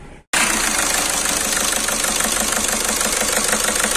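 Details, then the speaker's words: Skoda Rapid at idle with engine shaking visibly and malfunction light on, low pickup: steady idle with choppy uneven beat and periodic stumbles over hiss, an engine misfire before injector checks. "आप देख सकते हो इसका engine कितना हिल रहा है इसका तो इसका इंजन मिसफायर हो रही है"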